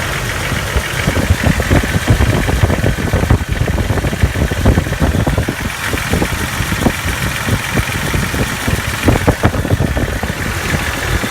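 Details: Jeep TJ 4.0 daily driver at cold start idle: rapid steady knocking over low engine rumble, nearly gone once warm, ongoing for over a year; owner wonders whether lifter or rod noise.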